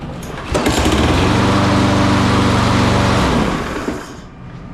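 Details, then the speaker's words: Free Craftsman mower after blade adapter fix; runs about three seconds with a steady rapid knock, about four per second. Engine loose on deck; knock possibly from loose engine mounting, possible bent crank suspected. "you can hear it's got a knock the engines loose so this might not be what I think it is but it might have a bent crank"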